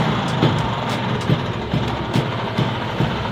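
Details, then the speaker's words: Vespa two-stroke scooter recently fitted with a 7-plate clutch: idle with loose, uneven clunky rattles about once a second over the engine beat; the clutch is very noisy, and the owner plans to switch to a 6-plate clutch. "karena suaranya ya guys ya berisik banget si kopling 7nya ini waktu gua kemarin ganti ya bisa kalian dengar ya"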